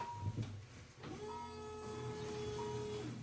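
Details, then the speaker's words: Car with suspected bad, varnish-smelling old fuel on a standalone ECU, key on, fuel pump draining into a can: brief clunk then steady even hum with light whine; fuel pump running normally, fuel going into the can. "I'm going to turn the key on and I'm going to view that the gas is going in the can or it listen to it and make sure it's not spraying anywhere else going everywhere"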